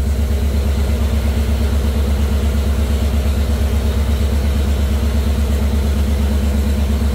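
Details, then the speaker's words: Jeep CJ5 with Holley EFI, engine warm at 193°F before break-in: deep even idle pulse, no misses, ticks or knocks; timing, voltage and temperature good, oil pressure about 45 psi. "but the timing looks good voltage is good temperature is good [Music] we're about 45 PSI now that we've warmed up"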